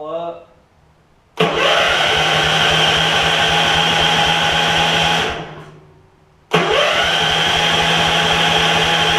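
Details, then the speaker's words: Gravely 16 Professional walk-behind mower, 578 hours, fresh gas, oil good, in neutral: two long bursts of even, fast cranking with no catch; turns over but won't start, cause not yet known. "got it in neutral it's cranking over so let's see if we can get it to start hope maybe it will"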